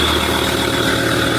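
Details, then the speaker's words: Ford Ranger Wildtrak 3.2 diesel at idle: steady high squeak over the even idle, hissing with each exhaust pulse; turbo gasket blown after its bolts came loose, exhaust leak before gasket replacement. "That turbo is still squeaking a bit down there. It's just the gasket."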